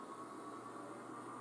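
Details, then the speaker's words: iMac G5, hard disk suspected bad, just powered on: quiet steady rushing hiss with a faint high hum as all fans run flat out at startup, as expected. "while all these fans are going crazy like that"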